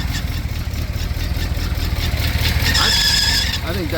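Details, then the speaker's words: 1965 Ford Thunderbird with a 390 Z-code V8: a high, thin squeal rises and holds under a second over the rough idle. A belt squeal on the accessory drive; the alternator is suspected, not confirmed. "that's the I think it may be the alternator which is thankfully only uh $75 and a couple of bolts"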